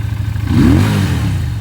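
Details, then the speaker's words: Single-cylinder Chinese EFI motorcycle started after a single fuel-pump prime: short clean rev rising and settling smoothly, no stumble or drag, the good sound it makes; when low on fuel it drags from low fuel pressure. "That's a good sound."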